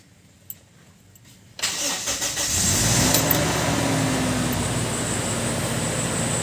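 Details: Toyota after a no-crank, no-start fault was fixed: quiet, then a quick crank catches straight away and settles into a smooth, even idle; starts and runs normally.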